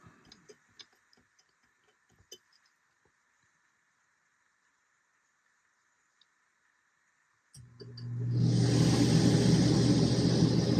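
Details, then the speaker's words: Dometic RV rooftop air conditioner in cool mode after a Single Zone LCD digital thermostat and control box upgrade: near silence, then the fan swells into a steady low hum with airy rush, compressor due seconds later; normal fan start. "the AC come on the fan. A couple seconds later, you should hear the compressor kick in."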